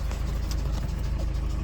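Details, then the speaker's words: Peugeot Partner 1.6 HDi diesel at idle: rough rumble with a sharp puffing tick about three times a second, audible from afar; compression leak from worn injector seals. "En fait, c'était un injecteur. C'est un injecteur et il y a des joints il y a des joints avec le temps que ça s'use. Et quand ça s'use, ça crée cette fuite là. C'est une fuite de compression."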